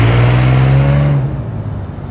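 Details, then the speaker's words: 2001 Isuzu VehiCROSS driving under throttle: loud, deep blatting drone that fades as revs drop, rougher and noisier than a sealed exhaust; otherwise drives and runs great; exhaust leak not yet fixed. "this thing drives great uh it does have an exhaust leak i got to get thick so it's kind of noisy"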